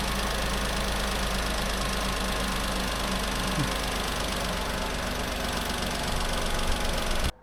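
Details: Renault Clio's rebuilt engine after it skipped timing, first start after the rebuild: it catches and settles into a steady, even idle with a low smooth drone and no knock or misfire. Healthy.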